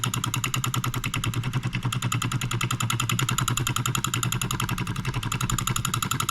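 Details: NOS late-1940s/early-1950s Wilkemp Jr Model E solenoid engine from Fishers Indiana, possibly first run in 70+ years: rapid even clatter of plunger at steady rate, shaking slightly from poor balance but running properly.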